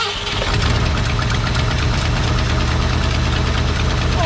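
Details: Old Ford F100 pickup V8, sat about 17 years, run with no oil and old sludge in the engine, fuel pump just primed: fires up and runs unevenly, lumpy stumbling beat with misses, barely fueled; cause not confirmed.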